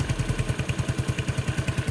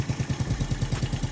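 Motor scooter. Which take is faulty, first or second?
second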